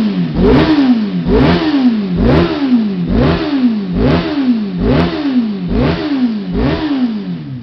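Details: Kawasaki ZX-6RR after cleaning spark plugs: repeated blips a little over once a second, each rev climbing crisply and dropping cleanly; earlier misfire and fluffy running cured.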